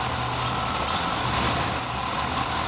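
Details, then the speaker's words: Square body dually truck with 502 crate engine, after fabricating a complete new exhaust system with a big muffler to cure a severe exhaust leak: deep, smooth, even V8 idle, no puffing or ticking; no exhaust leak, normal idle. "No exhaust leak. Look it. No exhaust leak."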